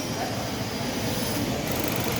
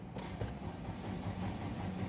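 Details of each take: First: 2024 Nissan Livina, just over 5,000 on the odometer, would not start until cut wiring at the fuel lines was repaired: steady, even idle with no knocks or misses, a smooth hum with outdoor background; normal idle. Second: 2024 Nissan Livina with just over 5,000 on the odometer, ignition on and cranking: steady low churn that never fires. The fuel pump wiring at the rear had been cut.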